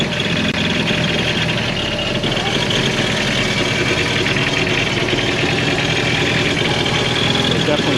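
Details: 2021 Yamaha FX Cruiser SVHO jet ski first start after months of storage, battery 11.8 V, over half a tank: even, busy idle with hissy, raspy top end, no knocking or grinding; sounds fine, brief run.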